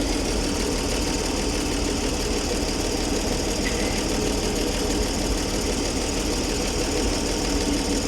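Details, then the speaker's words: Ford D Series petrol six-cylinder fire truck, running after sitting 16 years: a steady, even idle with no knocks, misses or tapping. All six cylinders firing, good oil pressure, no smoke or exhaust leaks. Normal idle. "She's running on all six. She's running smoothly. Show the exhaust pipe underneath her. No smoke. No exhaust leaks either. She sounds quite healthy."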